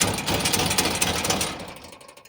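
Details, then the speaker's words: VW Fusca (Beetle): rear bumper shaken by hand gives a harsh metallic clatter of about four knocks a second from a loose bumper bracket, the same noise heard over speed bumps and potholes. "Vamos aqui, ó, chacoalhar o para-choque para ver se o suporte não tá solto. Esse aqui eu já sei que tá. Então, quando passa em lombada, passa em buraco, é esse barulho aqui que eu ouço, ó."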